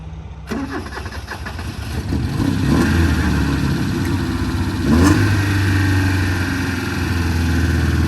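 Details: 1971 Honda 1300 Coupe 9S, air-cooled 1300 four-carb dry-sump engine, first start after 7 years following ignition cleanup, carburetor rebuild and fluid change: starter turns briefly, engine catches, revs with throaty steady pull and settles smoothly; healthy start with good oil pressure.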